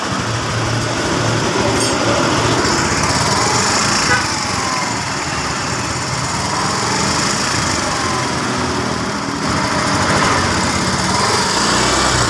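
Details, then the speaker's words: Scooter single-cylinder engine just reassembled after piston fitted and cam timing set (earlier rough sound, no power): steady even buzzing idle with slight wavering rhythm, no knocks or rattles, now smooth; normal idle. "Oke sobat semua ya sekarang untuk mesin sudah halus tinggal coba jalan"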